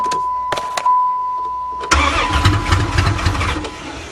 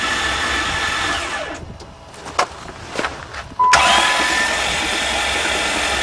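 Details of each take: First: Van restarted after being hydrolocked from driving through water, with water dumped out through the removed intake manifold and some possibly still in the cylinders: steady tone, then the engine fires first try and settles into an even run with no knocking. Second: Van hydrolocked after being driven into a lake, spark plugs out and intake off, cranked to blast the water out; fast, even starter whirr with no compression pulses, spitting and hissing water; hydrolocked engine cranking with no compression.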